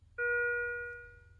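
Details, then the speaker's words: Philips IntelliVue MX400 patient monitor: a single clean chime rings out and fades, the medium-priority alarm tone for low blood pressure, with an amber flash rather than the more urgent high-priority tone. "Well, what you can hear right now is a medium priority alarm."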